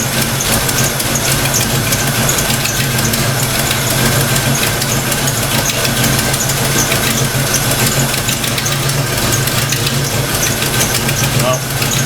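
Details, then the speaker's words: Fox Mustang V8 after thermostat install and distributor timing set, TFI plug reconnected: steady, even idle with no misses or surges, running better than before; normal idle. "Sounds like it's running a little better already. It's actually idling."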